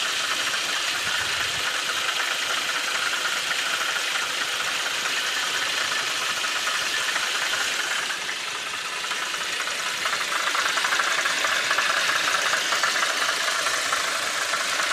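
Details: VW Passat B5.5 1.8T 110 kW at idle: a light, fairly regular tapping, roughly four per second, rides over the idle; knocking at idle, source undetermined.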